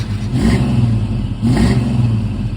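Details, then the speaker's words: Ford Mustang Fox Body 5.0 V8, automatic, first start after sitting years in a field: a deep burble with two clean throttle blips, revs rising and falling smoothly, no knocks or misses. Normal running and revving. "This sounds good."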